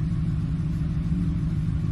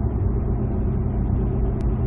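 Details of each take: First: 2007 Ford F-150 5.4L 3-valve V8 at idle with cylinder 2 dead misfire (P0302), later traced to a loose spark plug: deep, lumpy rumble with an uneven pulse, fuel smell, exhaust manifold tick heard earlier. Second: 2007 Ford F-150 5.4L 3-valve V8 on a road test at about 45 mph, fourth gear, torque converter locked, slowly accelerating after the loose cylinder 2 spark plug was fixed: steady, even drone with no stumble, running smoothly.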